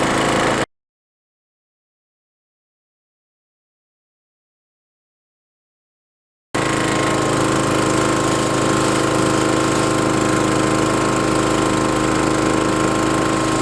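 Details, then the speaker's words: Trac Vac leaf vacuum blower unit after repair, front guard and hose refitted: starts after a short silence and settles into a steady even small-engine drone, no knocks or misses; normal running. "So I'll start it up for Mark, and then Mark's going to demonstrate how wonderful this thing works."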